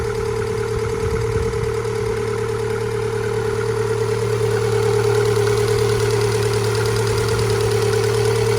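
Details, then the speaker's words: MG ZS 1.6, not started for several months, idling: smooth, even hum with a steady low beat of about three per second and no knocks or misses; the engine sounds healthy. "this car hasn't been started quite a few months now so I'm very impressed with that"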